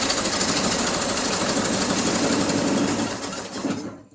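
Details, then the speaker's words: 1974 Triumph Spitfire with freshly rebuilt Zenith Stromberg CD150 carburetor, just started after firing order corrected: loud, ragged idle that struggles to hold then sags; carb adjustment and ignition timing need setting. "yeah, we still need to do some tweaking on this carburetor because she doesn't want to hold a idle. Timing, definitely got to get that set."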